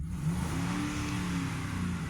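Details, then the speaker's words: 12th-generation Ford truck with a three-valve Triton engine, accelerating hard to pass: a deep, raspy roar rising steadily, much louder than it should be; owner suspects valve leakage, cause unconfirmed. "but what the hell is it that makes my other wise very civilized 12th generation luxury Ford sound like the general e every time I try to pass"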